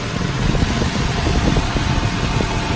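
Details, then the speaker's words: 2009 Nissan Cube at idle after a bad radiator cooling fan was replaced, with the AC on full so the fan runs at full blast: a steady, even rush of air with no ticking or scraping. The new fan runs smoothly. "That thing is blowing. Just to show that the radiator fan is blowing at full blast now."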